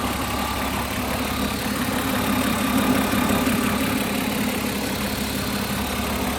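A light, fast tick rides over a steady idle at roughly three per second, pointing to top-end ticking; cause unclear.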